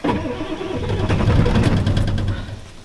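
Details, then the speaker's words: Old Ford 7.3L Power Stroke diesel, cold start at about 50°F without throttle: low, uneven cranking chug that struggles and stumbles, slow to catch, smoke under the hood. "I don't know how she'll start. Wait to start. I'm not going to try a throttle because it should start without the throttle."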